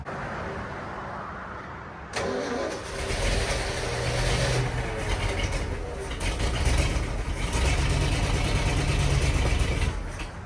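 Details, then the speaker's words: 1967 Ford F100 abandoned about 20 years, first start after accelerator pump freed and fuel pump repaired, run from a fuel jug: catches around two seconds in, settles into steady even low rumble with slight rev swells; runs well but has a bad fuel leak. "All right. Seems like it's running pretty good. It's got a bad fuel leak, though."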